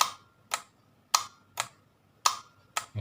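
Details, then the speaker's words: LG top-load washing machine drain pull motor bench-tested with direct power: sharp dry ticks about once a second but no motor hum and no pull; the faulty drain motor stops water draining during spin, causing an error. "จะได้ยินเสียงเหมือนเหมือนโซนิคหน่อยจะได้ยินเสียงต๊อกแต๊กแต่ว่าตัวนี้ไม่ดึงครับเสียงมอเตอร์ไม่ทำงาน"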